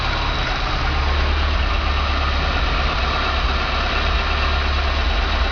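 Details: 1995 VW Pointer, parked six months because the owner thought an engine noise meant internal damage; after the mechanic's diagnosis and fix, a steady low idle with an even beat and no knocking or rattling; smooth, healthy engine.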